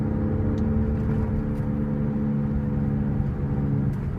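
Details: 2005 Cadillac SRX 3.6 V6 while cruising: a steady low humming drone under road noise holding an even pitch, suspected worn wheel bearing.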